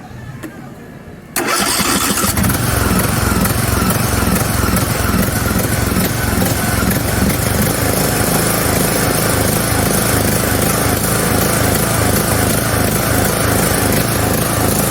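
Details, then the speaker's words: John Deere LA110 lawn mower: engine cranks, catches and runs with an uneven stumbling beat, like a misfire, and lacks power despite a new coil, battery, fuel pump and fuel filter, a checked plug and a cleaned carburetor; cause unknown. "so it's easy enough basically it runs but it doesn't have power because it's almost like it has a misfire"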